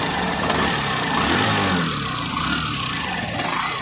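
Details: Hero Passion Pro BS6, a new bike that had a tik-tik engine noise, after the engine was opened and fixed: even, clean idle with no tapping heard; normal idle.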